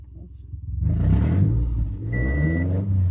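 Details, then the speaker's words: Subaru Forester rebuilt boxer engine revved with headers only, no exhaust, after idling at about 750 rpm with oil pressure about 40: deep, throaty rumble climbs smoothly and holds steady, no knocks or rattles; revs cleanly. "And this thing does sound nice when revved up without the exhaust on it."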